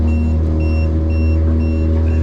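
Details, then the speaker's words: AIS collision alarm on a 2023 Duckworth 24 hard-top boat: repeating high electronic beep, about one pulse every half second, over the low engine rumble, before being switched off. "But right now, collision alarm, I'm gonna turn off. So I don't have to hear that thing."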